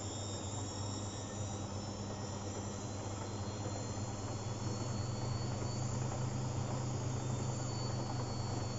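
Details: Beko washing machine on the short refresh cycle with liquid detergent, washing a duvet cover: steady low drum whir with sloshing during spin, water still in the drum, visible foam; excess suds blocked draining (suds lock).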